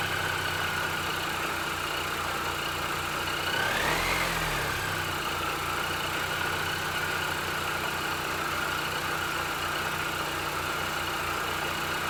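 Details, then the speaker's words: R53 Mini Cooper S after replacing spun rod bearings and rod bolts: engine catches, blips once, drops to steady even idle with no knock or tapping; bottom end sounds healthy. "all right so it runs it doesn't knock it sounds pretty good"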